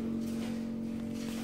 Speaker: Kurwa, wentylator. W tym miejscu jest łazienka i przecież to tu nawet słychać, jak to buczy.